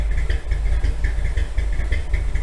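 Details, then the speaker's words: 1957 Chevy V8 that sat in a garage for years, heard from the rear: deep, steady, even idle pulses with no knocks or ticks, 35 psi oil pressure at low rpm, temperature staying low; normal idle. "Listen to that throbbing. Woo! Go see what it sounds like in the back."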